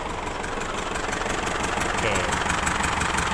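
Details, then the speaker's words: Isuzu D-Max diesel, hard to start and smelling of unburned diesel, with water mixed into the oil on the dipstick: uneven, lumpy idle about three beats a second with one cylinder dead. Suspected blown head gasket. "Oke kalau kena masalah begini dia ada dua kemungkinan exosmedia letupan tidak stabil mungkin bhbf mungkin bab ada bocor"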